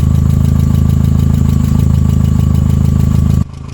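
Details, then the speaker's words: 2001 VW Jetta five-speed project car: steady idle with a light, regular tapping about three times a second. Still tapping; believed to be the valves, not the lower block. "it's still [ __ ] tapping pretty good ain't it huh it's still tapping"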